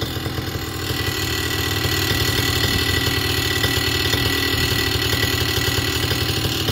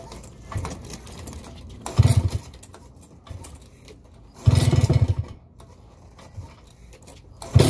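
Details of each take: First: Vittorazi Moster 185 paramotor two-stroke, warm, after leaning the low-speed needle: even, steady idle with regular firing pulses and revs slowly creeping up without throttle; idling much better, close to ideal; normal idle. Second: Vittorazi Moster 185 paramotor two-stroke, ground started, low needle slightly too rich: several pulls to start, then lumpy, rough, shaking idle that stumbles; low-speed mixture too rich, needs leaning.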